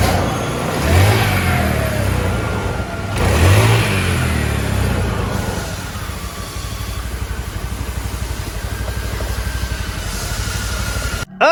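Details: Carbureted Honda Beat scooter after an oil change (engine had been run almost dry of oil): it revs twice, then settles into a steady, even idle with no knocking or rattling.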